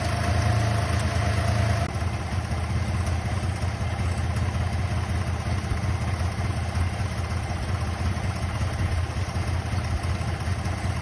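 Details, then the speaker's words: Holden VZ Calais 3.6L LY7 V6 at idle: low, lumpy, uneven idle with the whole left bank misfiring. The owner plans to replace all six coils and test the grounds and wiring. "This whole left side bank has stopped working."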